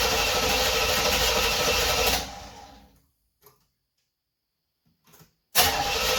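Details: 1976 Corvette Stingray unstarted 8 to 10 years, after new fuel lines, fuel filter, 20 litres fresh fuel, fresh oil and filter: steady cranking about two seconds with no firing, pause, cranks again; cranks but won't start.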